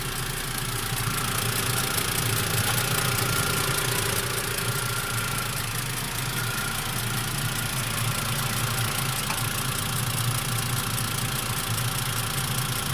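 A warm idle carries a fast, slightly irregular ticking knock over the hum, about three per second; the source is unclear.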